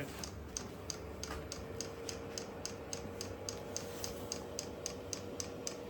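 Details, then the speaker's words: Vevor 8 kW Chinese diesel heater at first startup, fan picking up, warm exhaust but no heat yet: steady sharp ticks about three or four a second over a low even hum; normal running, air in the line wondered about. "You'll hear it. It sounds like a little jet engine. Is that right?"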